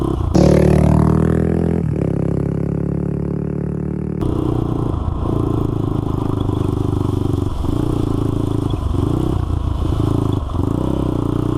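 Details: Honda 400EX single-cylinder ATV after crankshaft replacement for a locked-up engine, test ride through the gears; ragged, raspy puffing on each shift from a broken exhaust header leaking pretty badly; new header needed.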